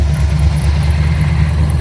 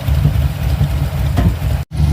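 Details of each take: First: Carbureted engine after replacing QFT carb with Edelbrock 1405 and manual choke, tuned to 14 degrees timing: smooth, even steady idle at 1,000 RPM, no backfiring or misses, warm after an hour idling; normal idle. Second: Carbureted engine just fitted with Edelbrock 1405 carb replacing a QFT, manual choke, idling after restart: lumpy idle with odd faint exhaust pops, mild backfire of unknown cause; later tuning gave smooth 1,000 rpm idle, 14 degrees timing.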